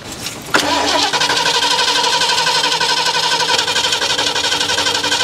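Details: 1977 Ford Quadravan after 19 years sitting, new fuel pump and rebuilt carburetor: starter spins steadily with even compression pulses near three per second, engine never fires; cranks without starting.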